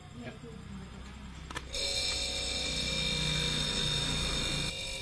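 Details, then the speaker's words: Single-door refrigerator with the light on but not cooling, just plugged back in after repair: the compressor kicks in and settles into a steady, even hum with a faint whine. The discharge pipe is hot and the inside temperature drops from 28 degrees. Normal compressor running. "ada suara Getaran kemudian ini kita pegang ini panas Bang di pipa dorongnya panas nih ini panas ya kita pegang juga panas terasa panas"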